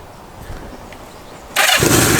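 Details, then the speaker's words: Kawasaki Z650B in restoration, started with a bit of choke after the fuel tap was refitted and the tank stopped leaking: engine catches sharply at about 1.5 s and settles into a steady, even run; running well. "yeah yeah yeah it's running well now"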